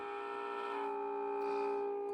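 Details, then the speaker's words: Mid-1950s Crosley JT3 All-American Five radio after replacing the faulty couplet with discrete components, signal generator on the variable capacitor: clean steady tone of about 400 Hz, loud and strong with no hum or crackle; normal output. "uh i added the discrete components and i cleaned up the previous guy's work a little bit and now i have a signal generator attached directly to the variable capacitor and we're getting a good strong signal"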